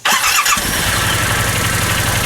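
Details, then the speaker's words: Yamaha Wolverine with belt cover off, serviced after belt slip from deep water: quick crank, catches within half a second, then a steady, even low idle with no knocks or belt squeal; primary and secondary clutches not spinning at idle. "So now that it's just running, notice no spinning of the primary at all or secondary."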